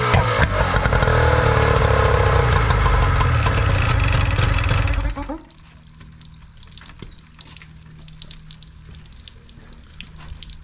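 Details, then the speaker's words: Older Nissan (Tohatsu-made) 18 hp two-stroke outboard, first start after carb and fuel filter cleaning, with choke and primer bulb: loud rough running about five seconds then abrupt stall; won't stay running, cause not confirmed. "PRP the primer bulb a little bit doesn't want to stay running"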